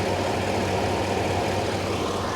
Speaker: let's take a take a quick peek at the engine and a listen [Music] it's not misfiring that sounds all right